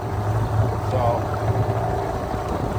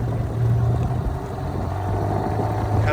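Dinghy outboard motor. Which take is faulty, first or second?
first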